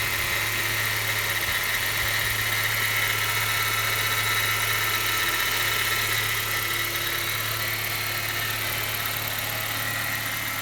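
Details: BMW 116i after timing chain replacement, first start every morning: idling with a thin steady whine and light fast ticking over the hum; abnormal cold start noise, cause unclear.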